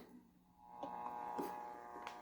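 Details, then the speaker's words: 1978 Stern Nugent pinball machine, powered on for the first time with a fuse that looked blown found earlier. The game sounds come out harsh, buzzy and grainy instead of clean; distorted sound output. "sounds like crap whoa is that like supposed to be the strumming of a guitar"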